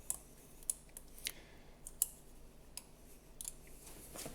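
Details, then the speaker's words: PLANET3 hub install on Specialized Creo SL, prying the ring gear up: faint irregular sharp clicks; sun gear also displaced upward, requiring removing the ring gear and re-pressing the sun gear. "if you can hear this sound the little clicking sound that was just happening that means that I have also caught the sound gear and moved it up in the air"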